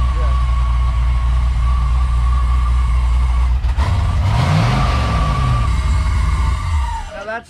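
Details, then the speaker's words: LS-swapped VW Beetle, first start with newly installed Thrush turbo mufflers: deep, even low rumble at fast cold idle, then a quick blip and back down; smooth and quiet exhaust, idle expected to drop when warm. "first sounds so good it's quiet like oh my god"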